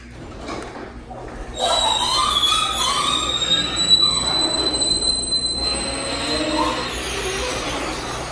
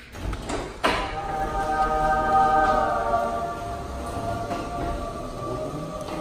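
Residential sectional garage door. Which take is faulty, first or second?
first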